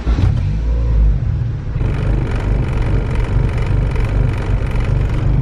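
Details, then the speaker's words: Honda Civic with budget Type R engine swap, before dyno tune: idles rough and stumbly with a loose rattle, nearly misfiring because the mixture runs very lean. "Yeah, the car's pretty stumbly right now. You can hear shit rattling over here because it's like almost misfiring. It's so lean."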